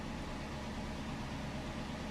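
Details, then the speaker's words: Dodge Charger Pursuit V8 with a new PCM, idling at about 1,000 rpm: low, steady, even beat with no stumbles or misses; smooth idle, though the rpm briefly dips and recovers just afterward. "We'll know here within like 10 seconds. That's when it normally will start. RPMs are staying right at about 1."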